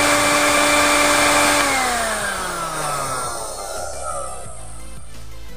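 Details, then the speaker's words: Miyako 200 W blender on a Taffware NBQ1000W pure-sine inverter, battery steady at 12.4 V: smooth, steady high-pitched whine that drops evenly as it spins down, no rattle or buzz; healthy, very quiet motor. "ya teman-teman ya, bunyinya sangat halus sekali."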